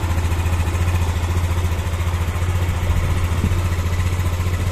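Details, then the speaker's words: Yamaha Xeon 125 scooter after engine rebuild for a klak-klak knock, connecting rod and bearings replaced; even, regular low putter at steady idle with no knocks or rattles, covers still open. Normal idle. "Jadi ada suara berisik karena masih terbuka aja. Oke ya teman-teman. Nah, kita coba dengarkan suaranya sehalus apa."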